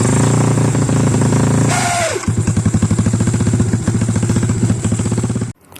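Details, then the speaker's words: Yamaha LC135/X1R single-cylinder engine rebuilt with scrap-engine parts, first start after assembly: quick rhythmic clatter about four taps a second; owner suspects unbedded bearing or poor oil circulation; disappeared after disassembly and reassembly, cause unknown. "Sebab tu ada sedikit bunyi macam electric starter yang tak kuat."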